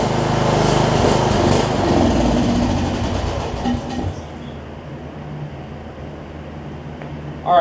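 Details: John Deere 125 rider whose blown 20hp Briggs V-twin (broken connecting rod) was swapped for a 14.5hp single-cylinder from an MTD: catches, runs a few seconds unevenly, sags and dies. Won't keep running; cause not confirmed.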